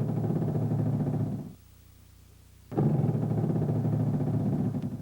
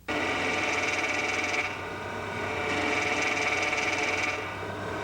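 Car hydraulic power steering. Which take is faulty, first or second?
first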